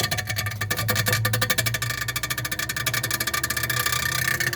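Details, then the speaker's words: Continental frost-free refrigerator not cooling at the bottom: a fast, harsh clatter of about a dozen ticks a second as the freezer fan blades strike built-up ice when it runs. "é o gelo que tá pegando ali [Música] ó Conforme vai fazendo esse gelo esse gelo aqui entra ali ó e faz esse barulhão aí"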